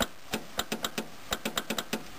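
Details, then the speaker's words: 1978 Toyota truck, engine off: about a dozen sharp, uneven clicks in two seconds when the battery is connected; charge light stays on, and the owner suspects something stuck in the voltage regulator of an unusual second-battery charging setup. "I've got it disconnected now but when it's connected and I connect the battery you can hear it click"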